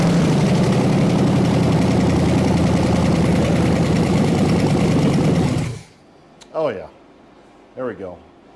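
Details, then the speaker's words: 1974 Chevy 454 big block, sat 20 years, start attempt: steady fast cranking chug around three beats a second without firing; distributor likely jumped, ignition timing way too advanced, had to be turned back; hard cranking. "it was bobbing up and down and I really had to crank it back this time in order to get it to fire so it was way Advanced"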